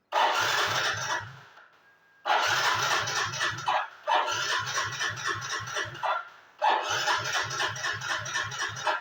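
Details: Yamaha Mio GT scooter that won't start, no MIL fault code, over a litre of fuel in tank: short starter bursts with quick even chugs, never catches; weak fuel pump pressure starving it.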